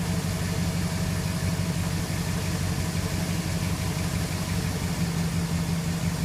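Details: 2006 Jeep Commander 4.7 SOHC V8, fully warmed, steady low rumbling idle with a faint uneven pulse about three beats a second; weird engine noise, cause unclear.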